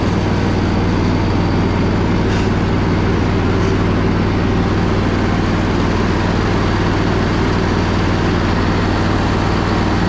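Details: Poulan Pro zero-turn mower, sat about a year or more, with deck engaged: even, steady engine drone, quiet muffler, no grinding or knocking from the spindles; runs surprisingly well despite its rough condition.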